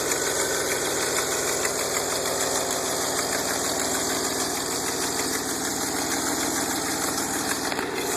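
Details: DeLorean VIN 4534 at idle before installing an aftermarket exhaust kit: sharp quick ticking about three per second over an even idle, puffing tick of an exhaust leak.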